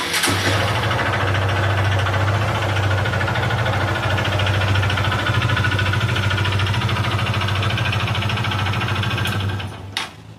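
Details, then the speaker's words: Honda CG Fan 150 ESI fuel-injected motorcycle with a strange engine noise, oil changed about 10 days earlier and oil level correct: steady, heavy knock at idle about three a second. Engine knocking, suspected connecting-rod knock. "Pessoal, a princípio aqui bateu biela, beleza?"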